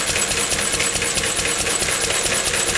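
Slow, steady firing beats with a light mechanical clatter on top; the old stationary engine is running evenly and sounds healthy.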